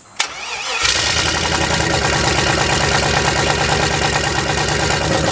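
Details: Sludged turbo LS V8 in a rear-wheel-drive 1990 Ford Festiva, run with detergent before an oil change: it catches and settles into a rough idle with a regular clack about three times a second. Water and a fuel leak onto the hot exhaust were seen; knock at start-up.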